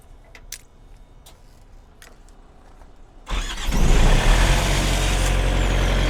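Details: Truck reefer unit diesel after new starter installed to replace failed starter: quiet, then catches at once and settles into a steady, even idle; starts cleanly, normal.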